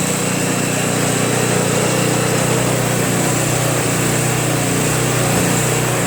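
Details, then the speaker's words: Craftsman Trac Plus 23-inch dual-stage snowblower, 5 HP Tecumseh single-cylinder, cold start after a year stored without stabilizer, fresh gas, full choke: steady even idle with soft regular beat, starts and runs cleanly; normal idle. "as you can see to start for a year with absolutely no stabilizer didn't do a thing to it but there wasn't any gas in it so maybe I ran it out of gas before I stored it idles well"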